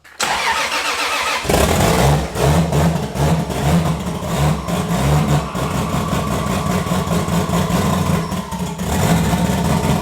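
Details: 1000hp 2JZ first startup with fuel pressure and intake air sensors unplugged: engine cranks and catches, then runs lumpy and uneven through throttle blips, rough running.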